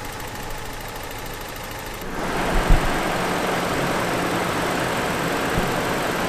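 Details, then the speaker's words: Truck engine after an hour of running with Seafoam added to the oil; steady low idle with occasional stumble and faint irregular beat, still misses now and then; rough idle with slight stutter. "so here's what the engine sounds like after an hour of running with the seafoam inside of it"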